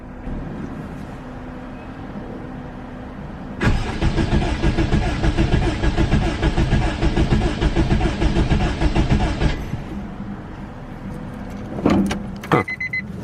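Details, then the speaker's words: Honda AWD wagon engine cranked on starter for compression test with coil packs disconnected and three-year-old plugs; uneven pulses, one cylinder reads about 120, 10 more than last time but still low, the cylinder that's been smoking. "about 120 uh that's 10 more than last time so that's good but it's still low so that uh that's the one cylinder that's been smoking up this motor"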